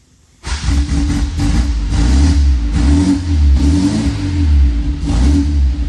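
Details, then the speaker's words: 1966 MG MGB that sat for years, after cleaning the dirty carbs, jets and pistons: engine catches and runs steadily on gasoline, revs rising and falling smoothly with no stumble or knock; normal running, no exhaust smoke or fuel leaks. "there we go it's running on gas now"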